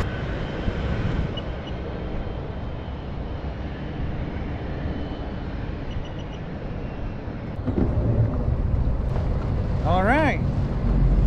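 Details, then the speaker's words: 2005 Sea-Doo RXP jet ski with many hours, now running after swapping from the learner key that limited it to about 5300 rpm. A low, even rumble revs cleanly to nearly 7900 rpm, about 67-69 mph, healthy. "oh yeah baby woohoo all right run the money so I was right it was a it was a learning key but I couldn't see it because I I didn't know what was going on"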